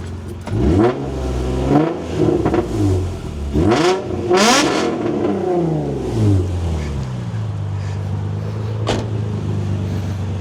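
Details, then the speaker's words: Nissan 350Z after fitting a thicker exhaust gasket at the Y-pipe to fix a leak: several sharp revs to high rpm climb and fall back cleanly, crisp exhaust note with no puffing or ticking; exhaust is sealed. "So, we get to rev. We're testing for science to make sure that we're still not leaking through high RPMs,"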